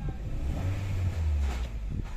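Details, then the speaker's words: 2008 Honda City PGM-FI automatic, fourth ignition coil found broken, no fault codes: in reverse under load, deep uneven rumble stumbling and thumping irregularly; severe misfire persists. "Ayun, palyado na. Tutututut, gumaganon. Ayun, pumuputok. Palyado."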